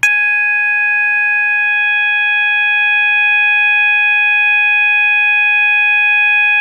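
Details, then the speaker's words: System Sensor MASS121575ADA sounder, 800 Hz continuous tone set with clips B and C: a single loud, steady high-pitched tone holding without pulsing or warble; working properly. "so we're gonna start out by testing with the 800 Hertz continuous and that tone is generated when you just insert Clips B and C here we go three two one"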